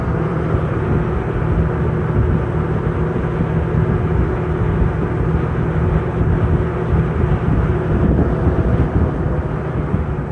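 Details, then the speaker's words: Sears Lasko 453-81310 20" box fan, eBay find, plastic motor, not yet oiled or serviced, works on all three speeds: steady even whoosh of air with a low rumble, no rattles, ticks or scraping; runs smoothly. "but it works good on all three speeds so let's go ahead and fire it up and see what she's got"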